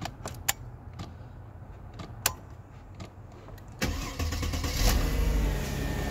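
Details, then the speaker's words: 2005 Mercedes-Benz CLK 320 started with a newly made key, after the cluster was removed to reach the ignition. A few clicks and knocks, then the engine fires at about four seconds and settles into a smooth, steady idle. "And the car start. I don't know if you can hear it."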